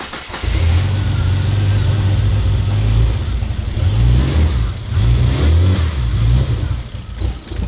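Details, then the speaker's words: Ford Fairlane turbo build on a Haltech ECU, first start: engine surges and sags under repeated throttle blips and won't hold idle on its own despite the idle control motor; runs very rich, idles only with the foot on the accelerator. "We've got it to sort of run and we can sort of get it to idle very rich, like really rich."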